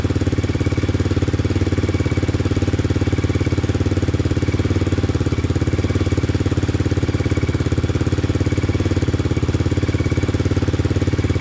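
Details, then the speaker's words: 2002 Yamaha Raptor 660 quad at first start after replacing the timing chain and a bent valve (it had zero compression). The single cylinder idles with an even, steady thump and no tapping or misfire, burning some oil off the pipe. Healthy idle. "i was getting a little worried it wasn't gonna start because of that thing um just need to be charged so sounding pretty good"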